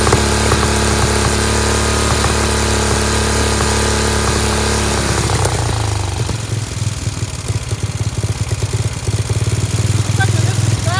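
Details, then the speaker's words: Free Dayton lawn tractor with revived 11 hp Briggs single-cylinder, started on its own with choke, no air filter fitted. Strong steady beat with loud open exhaust bark, then settling lower and even: runs healthy, sounds like a hot rod. "Thing's great. Sounds like a hot rod. Fantastic."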